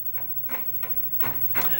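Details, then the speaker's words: Commodore Amiga 500 3.5-inch floppy drive after cleaning both heads and reassembly: crisp head-stepping ticks about three per second, normal seek and reading of Workbench 1.3 disk. "Here's the moment of truth so it already sounds better. I can hear it actually asking for the disc which it wasn't really doing before."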